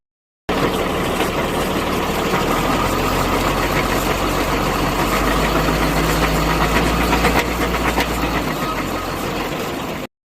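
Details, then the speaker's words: Tata 2518 truck with GB-60 gearbox, diesel idling in neutral: rough, uneven rattle over the low rumble; gearbox opened and the second gear found completely stripped, causing the noise; damaged second gear causing gearbox noise in neutral. "दोस्तों इसका जो मांस आपका दो number gear का पूरा का पूरा जो है स्लिप हो गया है इसलिए आवाज़ ए रहा था"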